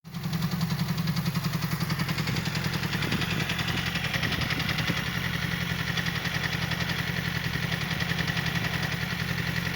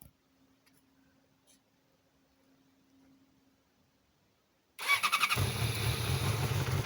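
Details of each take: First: Yamaha R6 motorcycle idling with a busy metallic clatter from the clutch basket, knocking so loudly it is felt as blows through the lever; clutch due for replacement. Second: Yamaha R6, first cold start right after clutch reassembly to cure a loud clutch-basket knock: engine cranks, catches and settles into an even cold idle with no basket knock felt or heard; normal.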